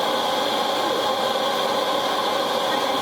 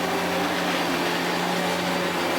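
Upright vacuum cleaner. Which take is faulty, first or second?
second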